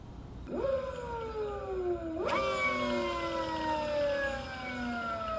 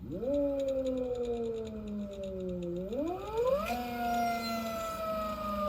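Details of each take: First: Electric motorcycle (ELX600 build) on old controller at 111 settings after hooking up big 96V battery: clean whine climbs with throttle then glides smoothly down coasting, no stutter or grinding; motor running properly. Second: Electric motorcycle (ELX600 build, 96V battery) with phase current overflow, old controller with start/mid/max Ki at 1/1/1 and speed KP lowered: loud whine rising and falling with motor speed, sharp and uneven; poorly tuned controller.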